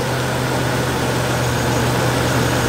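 Steady, even low drone with no misses, knocks or ticks; the V8 is idling smoothly and healthily right after starting.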